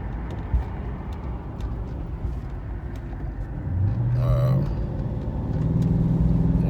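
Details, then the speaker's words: 1996 Impala SS after a hoped-for connector fix for intermittent no-start: smooth, steady low exhaust note under light driving, no stumbling or cutting out; running normally. "we'll keep driving here and see what uh what she does over the next couple weeks hopefully that was our uh our fix to our issue"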